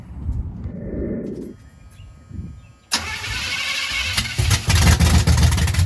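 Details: 1983 Chevy C10 small-block with a 750 Quick Fuel carburetor replacing a 600 Holley, fuel line primed by hand: long cranking with weak stumbling, then it catches and runs rough. Hard start; fuel pump starvation is suspected and a timing issue is not ruled out.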